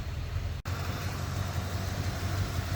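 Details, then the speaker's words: 1988 or 1989 Corvette C4, fuel injected, running rich, after setting ignition timing with a light and confirming firing order: rough idle still misfiring hard, one sharp dropout; owner suspects dirty injectors. "I don't know, not really a huge difference. The thing is still misfiring like pretty hard."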